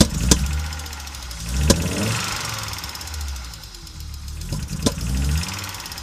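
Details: Audi Coupe after an NG-to-AAR engine swap: hard starting, many misfires, and it stalls while driving. Lumpy idle that surges and fades, with sharp irregular cracks every second or so. Rough-running, misfiring engine; cause unknown.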